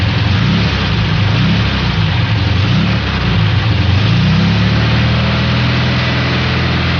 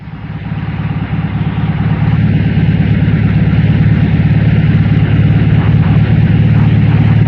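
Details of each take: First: Volkswagen air-cooled engine accelerating until loaded, with a deep rod knock that flutters in and out. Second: Air-cooled Volkswagen four-cylinder engine at normal idle, all four cylinders firing: steady, even low rumble with no skipped beats, for comparison with a missing engine.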